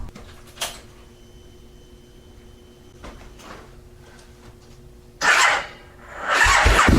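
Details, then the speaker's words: Gen1 Aprilia RSV1000 Mille/Tuono V-twin after upgrading to Exact Start battery cables; the starter stuttered before. Starter now spins evenly with near-instant power and the fuel pump kicks in right away, catching within a second to a strong idle. Healthy start. "Wow I'll tell you it's it's almost instant on power in the - before there's slight hesitation you can hear the fuel pump kick in right away"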